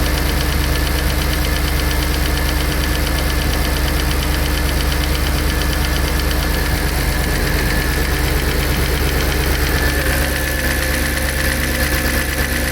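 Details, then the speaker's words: Audi A6 C5 4.2 V8 quattro first start after replacing non-return valves and repairing the intake manifold, heads drained of oil: fast even lifter ticking about three per second at idle, fading once oil reaches the heads. "For sure we must the lifters uh was so present because there was absolutely no oil inside."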